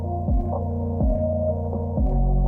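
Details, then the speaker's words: Helix IQ W10 subwoofer in home-built ported box with port too narrow (modeled about 40 m/s air speed): deep throbbing bass with soft puffing bursts; port chuffing, milder than expected, shows in distortion. "not too much, to be honest. Not as much as I expected, but still, you can hear the chuffing and it shows up in the distortion as well."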